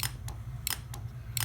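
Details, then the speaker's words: Chevrolet Tahoe replacement AC compressor on the bench, fed 12 V by a Power Probe: sharp metallic clicks over a low hum as the clutch pulls in properly. The truck's original compressor clutch gave no click in the same test. "this is working exactly as we need it to."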